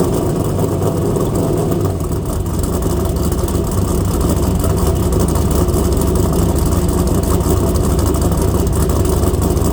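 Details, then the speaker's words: Trans Am WS6 LS1 with a big cam and Speed Engineering exhaust, idling: a deep, lumpy, loping idle on all eight with an even chop and no misses; healthy, and the exhaust is not overly loud. "not only does this thing look good now it sounds incredible Speed Engineering exhaust sounds great doesn't seem too terribly loud love it"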